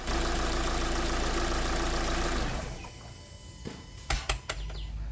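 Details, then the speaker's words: Kia Sportage, noise began around 3,000 km: engine shuts off, then a few sharp clicks/knocks in the quiet; dealership traced it to the throttle body resetting and called it normal. "I took my Sportage to a Kia dealership and they pinpointed the source of the noise the turtle body they said that this is completely normal and there is nothing to worry about"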